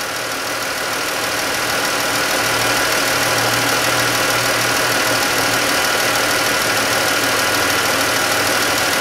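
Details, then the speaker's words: 2013-type Chrysler 3.6 Pentastar at idle, heard via mechanic's stethoscope: light sharp tick about three times a second over steady idle, loud on one side; valvetrain tick attributed to failed roller rocker, before rocker and lifter replacement. "yeah i'm definitely hearing some crashing around over here let's see if the exhaust i know this is boring there's definitely a tick on the"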